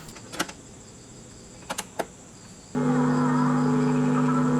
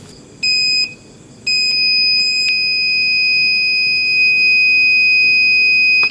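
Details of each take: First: Aiwa CSD-SR545 CD/tape/radio compo, 2000s, BA5417 amplifier IC, on AC power playing a cassette in deck 2; mechanical clicks then steady low speaker hum with very faint program sound, volume control hard to operate, sound only on left channel. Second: Aiwa CSD-SR545 audio compo (2000s) with only the left channel playing. Right-channel speaker checked at the amplifier output socket with the multimeter buzzer: a short beep, then a loud steady high beep showing continuity. Speaker is fine; BA5417 power amplifier IC suspected.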